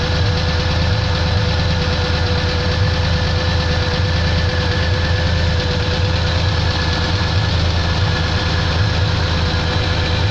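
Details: Pontiac engine at idle: loud steady idle with a repeating knock about once per second over the low rumble; internal engine knock, cause unknown.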